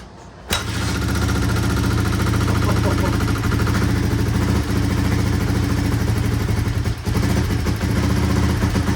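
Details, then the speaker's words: 1983 Honda XR200R single after full engine rebuild, first start, choke on, fired on first kick: steady even idle about four beats a second, quiet, no knocks or rattles; normal idle. "Wow, first actual kick and she fired right up. Engine sounds quiet."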